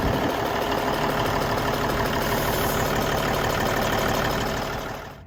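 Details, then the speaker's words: 1994 Freightliner FLB cabover, Cummins Celect N14, running after new injectors: deep steady diesel beat, even under load, no knocks or misses; runs and shifts well, though the air compressor is suspected of chugging slightly. "Moved the truck, drove it around a little bit, runs really well, shifts and brakes, everything's working like it's supposed to."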